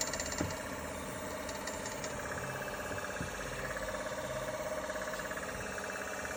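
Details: 2021 Kia Soul, quick light ticking about three per second over a quiet, steady idle; engine tick of unknown origin.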